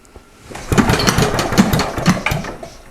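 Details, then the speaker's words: 1947 Briggs & Stratton Model A single-cylinder engine, first test run after reassembly, no load: uneven chugging with firing beats bunching and dropping out and lower end clunking, then smoother after fuel shut off; rough running, possibly flooded. "Boy, I can really hear the lower end in this thing clunking around. It may just be completely flooded."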